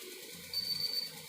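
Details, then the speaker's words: Kent RO purifier auto-flush solenoid valve wired directly to a live supply. Sharp high half-second buzz with sparking as the coil pulls in, so the valve works; the fault lies in the control circuit board. Normal solenoid buzz. "ये देखिए दूसरे को टच करते ही ये देखिए इसमें आवाज़ आ रही है, और ये स्पार्किंग भी हो रही है। देखिए इसका मतलब ये सोलेनॉइड वाल्व ये ठीक है।"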